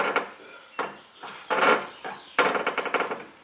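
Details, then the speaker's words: Nissan GT-R after fitting aftermarket downpipes, which shifted the exhaust: short bursts of hollow metallic clunks and quick rattles as the mid-pipe knocks against the cross brace, shaking the car and seat. "Okay, well, with that, I just found another rattle noise where it might be hitting even more. Right here on the mid-pipe against this brace."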